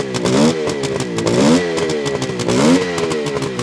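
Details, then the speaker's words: 1972 Suzuki GT550J two-stroke, engine rebuilt with new seals, 15,000 miles probably original: crackles evenly through a few throttle blips and settles back cleanly, no knocking or misfire; healthy running. "Engine sounds really good. It's got 15,000 miles on the clock, which is probably original."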